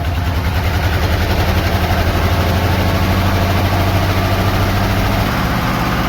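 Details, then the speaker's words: Box truck, low compression, Engine Restorer added: heavy, uneven loping idle that never settles; it ran smooth briefly, then rough moving down the driveway. Misfiring badly at rough idle. "It ran real smooth for a second before we got the camera on. I don't know if it'd be cool to do a Harlem Shake video, but she's doing it. She's doing the Harlem Shake."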